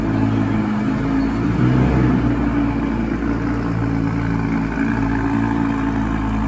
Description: Audi R8 Spyder V10 sound on ignition and idling with misfires valves open.